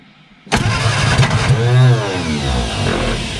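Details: Long-stored barn-find Austin-Healey Sprite engine, first start with carburetors filled and chokes held: fires abruptly, surges up and down unevenly, then stumbles to a rough, lumpy idle.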